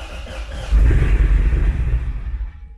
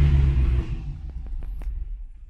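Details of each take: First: Wrecked Corvette Z06 with new Texas Speed heads and cam, on the lift being tuned with HP Tuners: catches with a deep rumble, holds about a second, then sags and dies; idle airflow was then raised 20%. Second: Corvette Z06 with new Texas Speed heads and cam, after startup tuning: fires with a deep heavy burst, then drops to a low, even rumble; now starting well, tune sounds right, not yet dyno-tuned.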